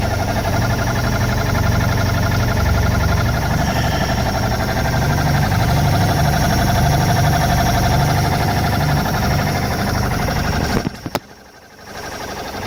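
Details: Mercruiser 140 four-cylinder boat engine idling: a steady whine over a low, even throb from the bellhousing at the back of the engine; it persists with the fan belt removed; owner suspects a dragging starter or the gimbal bearing.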